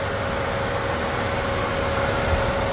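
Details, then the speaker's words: 2010 Dodge Grand Caravan 3.6 at idle, auction listed motor noise: steady, smooth idle with an even hum and no knocks, ticks or rattles; the engine sounds all right. "Auction also said motor noise. I don't hear anything other than the motor running, which seems all right to me."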